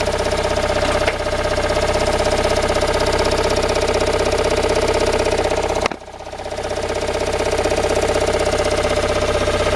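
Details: Toyota Raum 5E-FE engine after rebuild, idling: a sharp, even mechanical knock about four times a second stays locked to engine speed; cause unknown.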